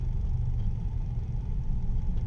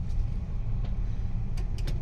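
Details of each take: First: Mitsubishi New Cedia 4G18 with a three-month-old LPG system, switched to petrol: steady low rumble with an even, unbroken beat, revving cleanly with no stumbles or surges; normal running on petrol, unlike on gas. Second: Mitsubishi New Cedia 4G18 engine with an LPG system fitted three months earlier, running on gas: low, uneven beat with ragged stumbles and choking, no power; gas installer suspects the coil; rough running and sputtering on LPG.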